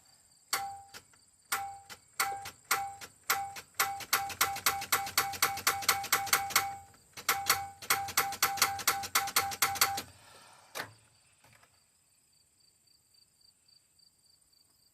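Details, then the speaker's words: Old short bus, sat roughly ten years, on jumper cables after reconnecting both ends; rapid dry clicking, about four a second in bursts, no cranking: starter solenoid clicking from dead battery. "There we go. Now it's clicking. You got to, you know, if you're running off jumper cables, helps if they're hooked up to both ends."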